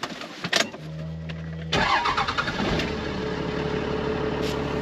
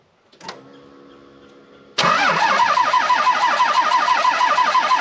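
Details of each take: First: 12-valve Cummins diesel, 5-speed, with a bigger turbo and injectors and a history of hard winter starts: a brief starter whir, then it catches at once into a steady idle clatter. Quick start; the owner suspects air was in the lines. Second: 12-valve Cummins truck, five-speed, winter: after a pause the starter grinds at about three compression beats a second for over six seconds without firing, a long-cranking hard start; owner suspects the injection pump or injectors.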